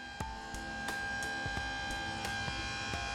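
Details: Terminator Cobra's newly installed intercooler pump, run by jumping its relay: steady high whine with a few soft clicks. It spins but coolant isn't circulating, airlocked from the car sitting at an angle.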